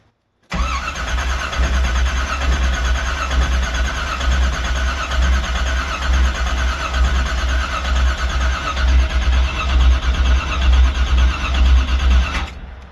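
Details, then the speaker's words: 1984 Camaro Z28 350 cold start at about 25°F, pedal pumped first: about twelve seconds of steady starter cranking with a low rhythmic chug that never catches; possibly flooded, no start. "Oh, she might be a bit flooded now. Well, oh well, let's keep cranking her."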